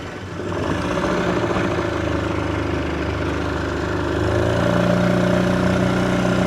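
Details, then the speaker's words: Old two-stroke Mercury-style outboard assembled from spare-parts motors runs on the water, buzzing steady and even, picking up smoothly with throttle, no misses or knocks; runs and shifts great. "Sounds like an old two-stroke Mercur. I love it. So, there we go. We've got a working motor from Spare Parts from the shop, except for the prop nut."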